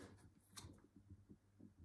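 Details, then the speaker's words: Uppababy Ridge stroller wheel spinning freely and quietly after loosening the side handbrake adjustment screws to stop brake rubbing, while keeping a solid brake. "find a point like this where you don't hear the sound and then test it that it still has a solid break"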